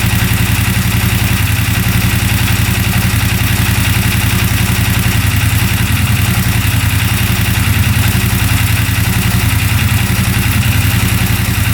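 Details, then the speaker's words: 2016 CFmoto ZForce 800 Trail UTV, first start after purchase, warmed up with water pump working: even, steady idle with a smooth low beat and no knocks; temp gauge steady, not overheating, some exhaust smoke. "The temp gauge is staying right there. So, it's not overheating at all. Sounds great."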